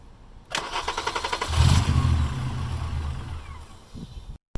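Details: VR6 engine swapped into a car, started without clutch switch and after plugging in a vacuum line: cranks, catches briefly with a rough rumble, then dies; owner suspects car's angle and low fuel starving the engine.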